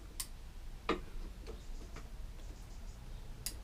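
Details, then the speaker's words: Faint clicks from a push mower's kill switch, possibly a Briggs & Stratton SVR RV150 engine: it clicks when opening but not returning, so it stays on; contact gap too small, to be fixed by bending the contact. "Yeah, just not quite clearing that. So, you can hear it click when it opens, but not when it goes back. So technically that's on because it hasn't clicked back out again."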